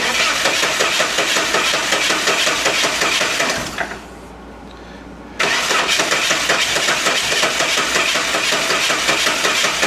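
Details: 1988 Saab 900 Turbo that hadn't started in months, after Hall sensor replacement and a small fix; starter cranks steadily, short pause, then catches and settles into an even, busy idle; starts and runs properly.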